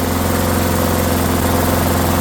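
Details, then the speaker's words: Discarded Rally lawnmower single-cylinder engine just after first start, unloaded, smoking off: steady fast even buzz with little vibration; idle sounds set too high, throttle to be adjusted to slow. "It It actually doesn't vibrate much at all. Sounds like it's running a little fast."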